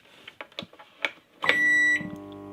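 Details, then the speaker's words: Microwave oven plugged in via homemade adaptor: a few clicks, then steady low transformer hum starting immediately and continuing until the door is opened or it is unplugged; runs continuously without being switched on. "Fíjense, se escucha la vibración del transformador. Y para detenerlo, si abro la puerta, se detiene. Y si no, hay que desenchufarlo."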